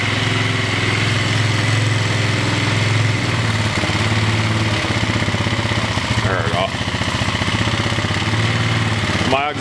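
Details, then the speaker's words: Single-cylinder engine idling too high: a steady thump quickens as the throttle cable, which the fuel tank was resting on, is pressed, and wiggling the cable also raises the idle. The cable is to be replaced. High idle from pressed throttle cable. "tank was resting on this cable when I press on it idle rubs up so I'm going to have to replace that cable"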